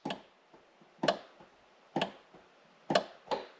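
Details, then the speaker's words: Mercedes CL55 AMG trunk: pressing the close button gives sharp dry clicks about once a second at the pump with no motor hum, and nothing moves; no power assist when opening. Owner suspects the hydraulic pump, which works with the vacuum/air pump system. "the lights are good but I hit the close button and down here you can hear it clicking where the pump is"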